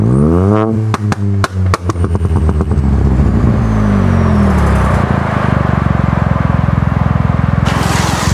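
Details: Ford Fiesta 1.0 EcoBoost with newly fitted Cobra Sport resonated exhaust: sharp blips sweep up and drop back, then a held rev pulses evenly with deep crisp note; healthy, no rattles.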